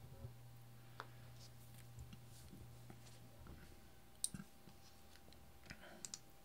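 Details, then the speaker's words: Bare 5V relay driven by Arduino through a transistor and diode: crisp single clicks about once a second in a quiet room as relay pulls in and drops out; normal relay switching. "điều này sẽ khiến rơle bật ON khoảnh khắc rất nhỏ và sau đó tắt"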